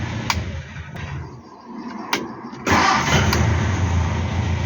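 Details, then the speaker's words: Hillman Superminx restart after fitting a new Powerspark electronic ignition module and Lucas coil: brief crank, engine catches cleanly at once and settles into a steady, even idle; timing seems okay, normal start. "yep so the timing seems to be okay um at idle doesn't have any problems starting"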